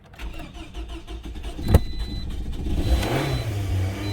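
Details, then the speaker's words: Toyota, 173,370 on the clock, towed in as a won't-start misdiagnosed as a faulty fuel pump, check engine light on, misted-up car: uneven cranking then catches into rough stumbling idle with tailpipe smoke; flooded engine, not fuel pump. "the smoke you saw out of the tailpipe is because it was flooded."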